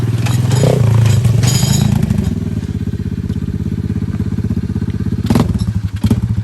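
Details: 110cc four-wheeler after service with new carburetor, spark plug and alignment: small single-cylinder engine popping steadily at about four beats a second, revving smoothly with no knocks. Runs healthy.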